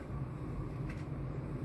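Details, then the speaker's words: Furnace ECM blower motor just reinstalled (bent bracket straightened) gives a smooth, steady hum and even airflow rush, no rubbing, ticking or wobble; should run about 90 seconds, then heat; normal blower operation. "Alright guys, as you can hear, the blower's running like it's supposed to. It should run for like 90 seconds. Then we should have some heat."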